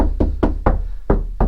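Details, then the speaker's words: C5 Corvette bare body panel in the rear/trunk area, knocked before any sound deadening (flashing and foam): six knocks ring hollow and drum-like, letting noise and vibration through easily, an undamped panel. "very hollow sounds like a drum and it lets noise and vibration through very very easily"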